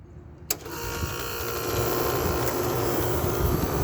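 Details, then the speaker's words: 8000 BTU EQK window air conditioner after a rusted, grounding capacitor was replaced; a click, then steady hum and fan whoosh settling into an even run, fan possibly off balance; normal running. "she runs hell yeah I like that kind we've got a running eight thousand BTU eqk with the reset"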